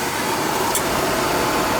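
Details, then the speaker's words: Oil furnace burner after nozzle was reset for proper air: smooth steady whooshing roar with no pulsing, rumble or sputter, flame looking good. Normal oil burner operation. "Yeah, she's looking good in there now."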